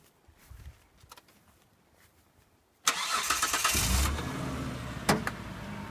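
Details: 2002 Mitsubishi Pajero Exceed, 271,000 km: short crank, catches quickly and holds a smooth, steady idle with no misses or knocks; engine runs very smooth and sounds healthy.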